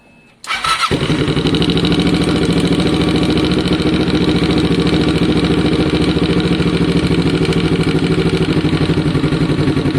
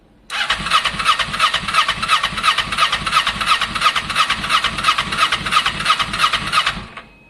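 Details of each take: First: Kawasaki ER6n project bike with new spark plugs: catches right away and settles into a steady, even idle with a firm low pulse and no misses or knocks; engine healthy. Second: Kawasaki ER6n project bike, first start-up attempt on a borrowed new battery with old fuel still in the lines: starter churns evenly about three beats a second for six seconds, never catches. Crank no start; owner thinks he hears spark, plans to add fuel.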